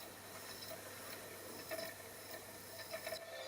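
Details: Found-in-dumpster original Sony PlayStation, scratched game disc: quiet irregular faint clicks and soft ratcheting as the laser sled hunts across the disc, then settles and boots to the PlayStation logo; drive reading normally.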